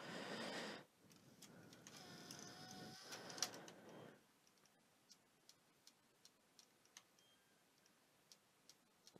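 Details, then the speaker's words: PS4 thrown across a room, disc fed, microphone close to the drive: light fairly quick clicks, about three or four a second, as it tries to read the disc; the laser is failing, damaged cable also suspected; laser to be replaced. "its clicking away so leis is definitely not good"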